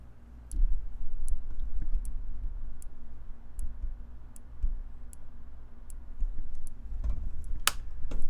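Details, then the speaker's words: Dead Tandy 1000 computer power supply, mic held near it: faint sharp ticks about every three-quarters of a second over a hum as the supply keeps tripping; clicking possibly from lack of load, cause unclear. "clicking can be caused by lack of load"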